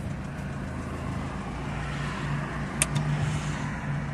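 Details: Alfa Romeo 159 that cranked but would not start, with "inertial switch intervened" fuel cut message, after resetting the inertial switch: the engine catches and settles into a smooth, even idle with no misses or knocks. Normal start and idle.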